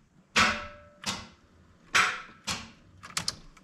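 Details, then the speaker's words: 1994 Chevy Silverado 1500 on its first start attempt after 10+ years sitting, throttle body rebuilt: a few sharp single clicks about a second apart with no cranking; owner says the battery is dead. "battery's dead [Music] dude if ain't one thing it's the other"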